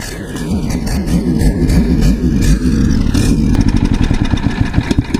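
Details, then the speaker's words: Old Ditch Witch trencher engine with water-contaminated fuel, cranked to pump the water out. Uneven, sputtering firing that catches and stumbles with no steady rhythm. Still a touch of water, but mostly gas now. "still a touch of water in it but it's mostly gas now"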